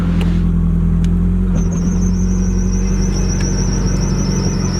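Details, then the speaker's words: Drift car heard with the rear raised and the drivetrain spinning: a thin, high, steady squeal like a belt squeal, also heard as chirping while driving slowly. It seems to come from the driveshaft near the front of the diff, suspected pinion bearing, not confirmed. "It sounds like a belt squeal. That's what I was thinking. Dude, when I first heard it, I was like, what? Like it sounds just like a belt squea"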